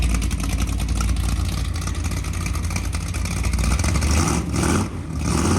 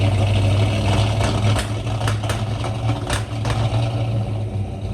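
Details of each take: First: 1963 Ford Galaxie 500's freshly built dual-carb 390 Ford V8 bored to 397 (about 500 hp, compression likely over 10:1) on the run stand, carbs not yet adjusted: deep, even rumble swelling smoothly on each blip and settling back; running fine, healthy. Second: 1963 Ford Galaxie 500, high-compression dual-carb 390 V8, first start in the car: lumpy, stumbling, uneven low-speed beat with sporadic sharp pops; rough running, bad gas suspected since it ran fine on the run stand, not confirmed.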